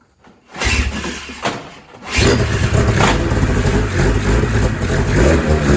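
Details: 2000 Ski-Doo MXZ-X 440 liquid-cooled reed-valve race sled after carb cleaning, new pickup line, fresh premix and reversed primer lines corrected: catches after a couple of tries, then a steady, even two-stroke idle; normal start and idle.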